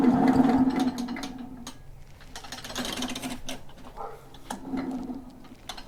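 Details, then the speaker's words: Echo PB-500H blower that won't idle and runs poorly, plug out, oil added, pulled over by hand: rough whirring scrape in bursts about four a second, internal rubbing of unknown cause; mechanic wondered if fan came loose. "that's a very concerning noise i'm thinking the fan or something fell off the back perhaps i don't know"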